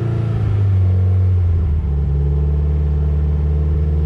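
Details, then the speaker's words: Subaru Impreza WRX STi boxer engine with very aggressive camshafts: deep, slightly uneven, loping idle burble. Lumpy idle comes from valve overlap, normal for the sharp cams. "Du hörst schon, dass der im Leerlauf so leicht so unrund läuft. Ja. Und das kommt von der Ventilüberschneidung."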